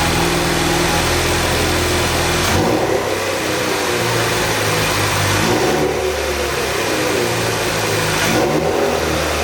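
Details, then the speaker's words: Flood-salvaged Ford Focus RS on first start after rebuild, warming up: clean blips rising and falling smoothly about every three seconds with a crackle, no knocks or misses; the engine revs healthily. "so I'm gonna keep letting her warm out the whole shop a smoked out but she sounds amazing I just listened to that crackle"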